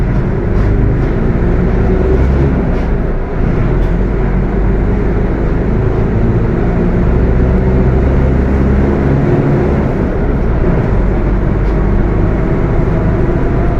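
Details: Mercedes-Benz OF 1721 BTC 5 bus (Apache Vip IV body) at steady driving: heavy low droning growl rumbling over the diesel and road noise; transmission growling loudly, cause not pinned down.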